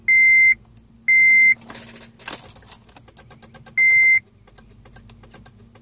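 Dash chime beeps about once a second, then light clicking and rattling with no real cranking; typical of a battery too weak to start.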